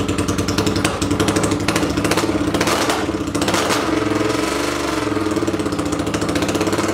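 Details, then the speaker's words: 800cc pulling tractor engine, first test run in neutral with clutch in, air box and half carb covers fitted: deep, even, lumpy rumble with steady firing pulses and clean revving; runs smoothly. "so just real quick it sounds much better with the air boxes on or air box and half a half of carb covers just really listen to that rumble"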